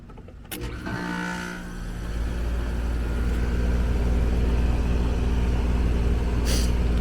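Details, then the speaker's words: Apartment AC condenser started after an HVAC tech corrected a maintenance worker's failed condenser fan motor install: brief start-up clatter, then a steady, even low hum with no rattles; running normally. "condenser fan 78 I'm just going to go and fire this thing up see what we're looking"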